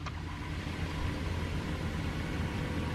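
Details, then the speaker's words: Dodge Charger after HVAC blower motor replacement, car on, blower at speed 1: low quiet whoosh with soft hum, no rattle or squeal, much quieter than before; normal blower operation. "Oh, that's much quieter. 2. 3. 4. Alright. That sounds like it should."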